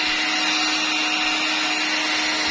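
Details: Electrolux Ergorapido 2in1 Allergy cordless vacuum after the noisy part was refitted correctly: a steady airy whoosh and constant hum with no knocking, now running smoothly and normally.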